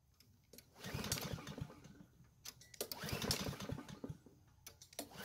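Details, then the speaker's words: Curbside Blackmax mower, choked, fresh air filter: two quick pull-start bursts of cranking chuff that never catch; cranks but won't start, next step priming with gasoline. "so strangely enough it didn't start which shouldn't be possible"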